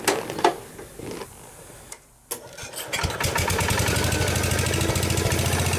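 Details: Case 222 lawn and garden tractor, sat for years: after cranking and clatter the small engine catches and settles into an even steady chug, running properly.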